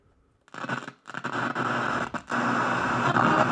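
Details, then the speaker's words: Old two-prong radio-cassette on FM sounds harsh and scratchy with crackly dropouts; a dirty control pot is blamed and contact-cleaner cleaning is planned; radio static from dirty control. "it's really scratchy and that's just on FM. I don't know what AFC is. Um and there's a tone knob and a tuning knob. Uh the fact of the matter is this pot is really dirty."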